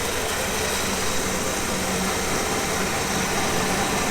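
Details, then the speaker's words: Old Chevy truck revived after sitting 14 years in the woods, fuel pump reconnected, has oil pressure: loud ragged idle with uneven hiss, running but not smooth. "i got it to run it was idling not super smooth but i mean it was idling"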